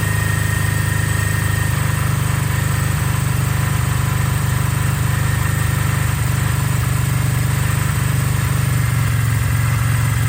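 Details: 1982 Kawasaki KZ305 twin, revived after 30+ years sitting with carbs rebuilt and synced, cold start after a few days, full choke; steady even idle with low regular beat, no knocks or misses — normal idle.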